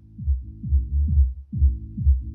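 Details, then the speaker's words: HK Audio Polar 8 column speaker, one unit faulty: music comes through as deep bass only with no mids or highs; they return when the column section is pushed forward, so the column is suspected. "so you might be able to hear the bass there, but you can't hear any mids and highs."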